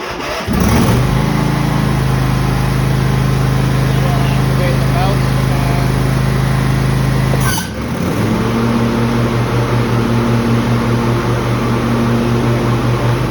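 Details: Husqvarna 2348 series riding mower after fitting a new Kevlar deck belt: engine pulls a steady low hum with blades engaged, brief dip near the end, then smooth; quieter than with the old chipped belt that shook the machine.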